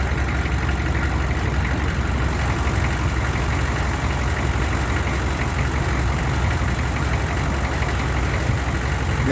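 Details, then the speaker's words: 1994 Chevy C3500 HD 6.5 turbo diesel, warm after running for the day: a smooth, steady idle; hard-start problem only occurs cold, code 36. "you was able to hear it for like the first couple of seconds say the first 3 4 seconds it ran kind of rough and then smoothed right out and then the idle is just smooth as can be it runs like it should"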